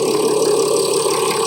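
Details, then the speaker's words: Mercedes ML 350 W166, OM642 3.0 V6 diesel, after fuel filter replacement: short steady idle with even, unbroken diesel clatter, no misses, knocks or hunting; sounds nice and healthy, normal idle. "sounds good. Sounds nice and healthy."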